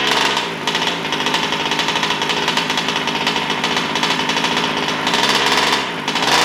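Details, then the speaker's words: New Taylor RC 35cc two-stroke in a DBXL 2.0 RC car with Bartolone Racing exhaust and air filter, first-start heat cycles before full throttle: high, raspy buzz at steady part throttle with crisp, even firing. Normal running during break-in. "i'm doing a few heat cycles before i do full throttle sorry the ice um but she sounds great she sounds nice"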